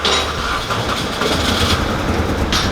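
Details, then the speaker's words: Mini Cooper R50, just-delivered cheap salvage-auction project: uneven, lumpy idle with an irregular low thump over a loose rattly background; engine running rough, likely misfiring, cause unknown. "Ooh, sounds rough. So the new project has finally been delivered, and bloody hell, it was cheap, and I think I know why now, because the engine sounds so rough."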